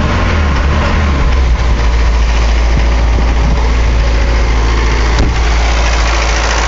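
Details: 240D diesel about 1.5 minutes after the previous clip, emitting white smoke: the clatter holds a fast, steady high idle. The cause of the high idle is unconfirmed.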